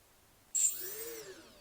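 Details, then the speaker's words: Quadcopter on the bench during Betaflight setup, all motors spun together via master slider: they spin up into a high whine that rises and settles evenly, none lagging, all about the same speed; healthy motor start. "when you raise it up the motors should all start at pretty much the same time there shouldn't be any that start or they lag behind and they should all sound like they're about the same speed"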